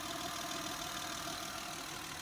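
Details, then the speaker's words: Honda Pilot 3.5 J35 V6 at about 96,000 miles, after valve cover, VCM gasket and PCV valve replacement, started with a jump box. Smooth, even idle with a steady airy hiss and no ticking, misses or hunting. The engine sounds healthy. "Holy smokes, it runs. It's under the hood. Sounds good."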